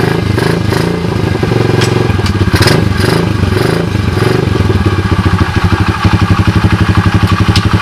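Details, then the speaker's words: SDG 107/110cc pit bike, about 30°C: the small single thumps along with a quick, even beat and a few light blips; runs fine. The engine has damaged 3rd and 4th gears and a locked kick starter. "as you guys can see it's dark cheesy as you guys can hear it sounds pretty good right"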